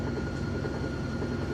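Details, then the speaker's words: GE top-load washer, heavy load of jeans and towels, final spin after lid-open restart back to full speed: steady low hum with faint constant whine, no shaking, very smooth; normal spin cycle. "that's running really well there's no shaking my hem might be a little shaky but there's the machine isn't that shaking at all sounds good very smooth excellent"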